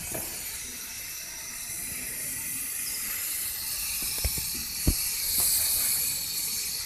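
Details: Ford Figo 1.4 TDCi: steady airy A/C compressor hiss over a quiet engine with a few faint ticks; cause not yet clear.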